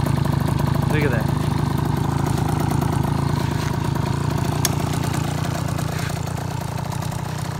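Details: 2004 KTM 50cc Mini Adventure two-stroke on its first kick after piston ring replacement, new gaskets, carburetor clean, fuel line and petcock fix: quick, even, quiet buzzing idle with no knocks or rattles; normal idle.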